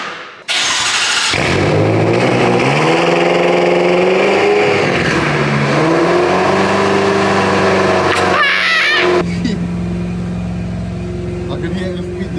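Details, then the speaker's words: BMW M5 F10 rebuilt with forged rods and pistons after the engine blew at 120 mph, first cold start. Short crank, then it catches loudly, flares, and settles to a steady, even idle; healthy start. "The first start is alive. I am sure that the audio does not do justice to how loud this car actually is."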